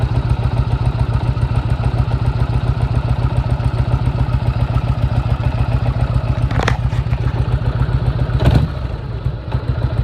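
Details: 1998 Harley Road King idling before repair: heavy, uneven lope with a hard knock on each beat, suspected bad rod; cause was a loose primary compensator nut, cleaned, Loctited and torqued to 160 ft-lb.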